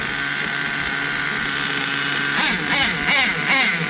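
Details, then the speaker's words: OFNA Twin Titan nitro RC truck, one engine running rich and not very hot: high, even buzzing idle with no misses or surging; clutch bell keeps coming off, bearings fine; normal idle. "It idles perfect right there. You hear that ding? It's not locking up, so the bearings are good still."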